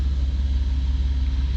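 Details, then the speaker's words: Van started hot after oil change: low even idle rumble with steady pulse, no knocks or ticks; engine running smoothly, oil pressure reading near halfway. "She sounds okay. Yay, she's purring."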